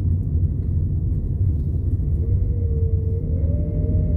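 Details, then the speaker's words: Nissan Primera P12 on a road test through a roundabout after the repair: steady low road rumble, with no metallic banging or rattling from the rear. The exhaust noise is fixed. "good it appears we've been successful in fact the only noise coming from the back of this car now is the kids"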